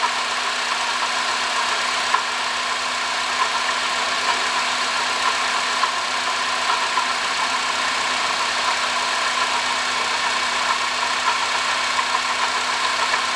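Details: 2005 Honda Odyssey (registered Nov 2005, 268,167 km, CVT) at even idle: steady whirring growl of constant tone from a worn water pump bearing; replacing the water pump, thermostat, thermo switch and coolant cured the noise.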